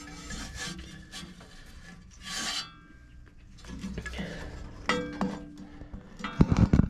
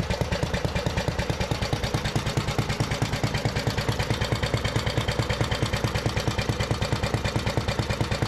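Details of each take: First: 1973 Briggs and Stratton direct-drive Giant Vac leaf blower, long unused, fan turned slowly by hand; uneven metal-to-metal-sounding scraping as the blade catches on a large mud wasp nest in the housing corner. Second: 1973 Briggs & Stratton-powered Giant Vac leaf blower, long unused and apparently seized, revived; restarted without choke, throttle linkage still sticky. Crisp, even single-cylinder beat with strong steady airflow, no misses; normal running.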